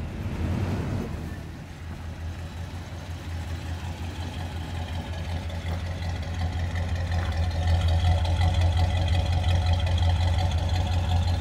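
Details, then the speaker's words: Original 1978 Chevy pickup V8 idling just after starting, fires right up. Quiet, smooth, even low idle that holds steady with no knocks or misses, some keys jingling; purrs like a kitten, healthy. "this thing is really nice you just don't see them like this anymore fires right up birds like a kitten"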